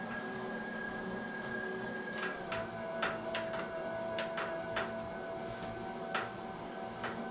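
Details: Wahoo KICKR Bike indoor trainer while pedalling: sharp, irregular creaks and clicks about every second over a quiet steady hum. Creaking noise, source not pinned down.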